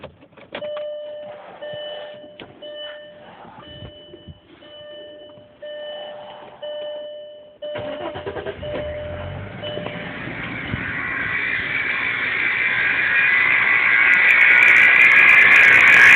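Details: 1999 Audi A6 starting after a dashboard chime, then a high rushing whine builds steadily louder; abnormal engine noise after start.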